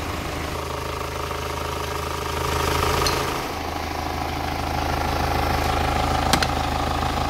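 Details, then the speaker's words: Diesel with heavy smoke and poor per-cylinder scanner values, idling: steady even clatter about three beats a second with no buzzing, so injectors and cam followers sound healthy. "I told you that if the injector is bad or the cam follower is bad, I'll make a buzzing sound This doesn't have that sound right now"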